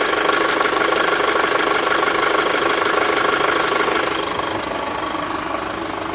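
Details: 2006 Skoda Octavia vRS 2.0 TFSI petrol, 70k, cambelt done twice, warm idle with sharp regular light tapping about three per second and rough idle, only after warm-up; source not yet identified.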